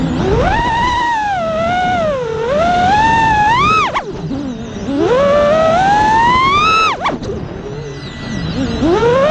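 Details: A quad with iFlight motors is in flight after swapping two failing ESCs for DYS 35A units. The motor whine swoops up and down with throttle, with no rattle, buzzing or frame vibration. The motors run smoothly.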